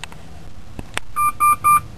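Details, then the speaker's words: North American P38 Range Rover cabin, ignition on: three quick even electronic chirps from the dash, warning of a stored air suspension (EAS) fault. "in the background you can hear the es fault chirping away it's cycling on the dash as You' expect during an as fault"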